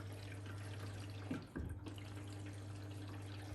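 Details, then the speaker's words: Blomberg RapidJET LWF194520QW 9kg 1400rpm washing machine, about a month old, very low household water pressure: soft trickle of water into the drum over a faint steady hum, extremely quiet fill; normal water fill. "i do have um really low water pressure so if you do have like like most people way better water pressure than i do and then it will be the either filling up"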